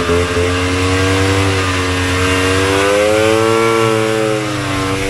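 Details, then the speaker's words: Vintage single-cylinder Polaris race snowmobile two-stroke after full engine rebuild: wavering hunting revs that never settle clean, mistuned carburetor. "you saw those first passes my first test runs and uh you know me I can't leave well enough alone it was running it wasn't great uh I've done some tuning uh I've changed the pilot significantly I've changed the mainjet significantly"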